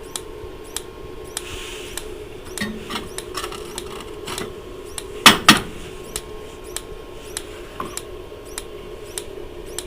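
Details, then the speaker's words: Dometic Americana RV fridge switched to gas mode: sharp, regular igniter snaps about every half second with no gas whoosh, so the burner never lights. "and you can hear it snapping it's obviously trying to start the gas right now"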